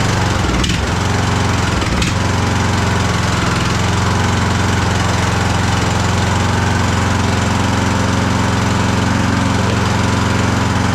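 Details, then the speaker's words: Craftsman DLT3000 lawn tractor after a new coil, fuel filter and shut-off valve: loud, uneven low chugging with pops, backfiring through the carb. Running rough; carburettor problems suspected. "Wow. It's uh backfiring through the carb right now. So, uh that's not a good sign."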